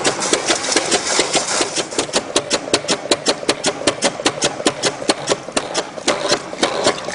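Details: StreetPrint Rapid Sprayer II (RS2) pump flushing clean water with recirculation line pulled out, deliberately slowed to reduce wear: crisp clicks about two and a half per second, slow and unhurried; normal operation.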